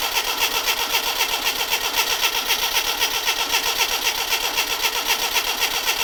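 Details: Classic Mini Clubman campervan, sat unused for years, first start attempt right after adding fuel: starter churns steadily about four beats per second without catching; cranks but won't fire, fuel not yet pumped up suspected, spark and leads to be checked.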